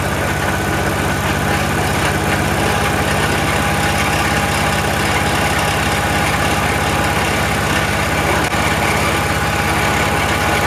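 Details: Troy-Bilt 22-inch front-wheel-drive self-propelled mower, 4HP Briggs Quantum, just started after a few pulls and running on its own. Steady idle with a slightly uneven, wandering beat and heavy muffler smoke, possibly oil from lying on its side; owner suspects carburetor needs cleaning.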